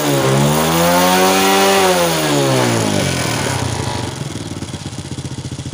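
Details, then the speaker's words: Honda Wave 100 after fixing hard starting, poor acceleration and stalling (carb cleaned, clogged fuel filter and air filter replaced, fuel now flows normally): small single revs up cleanly and settles to a steady, even idle with no stumble; normal running and revving. "ที่นี้เราก็ได้ทำการแก้ไขไส้กรองอากาศแล้วนะครับนั้นก็เคยไส้กรองน้ำมันแล้วนะครับก็น้ำมันก็รายได้ปกตินะครับตอนนี้ก็ถือว่าโอเคนะครับอ่ะ"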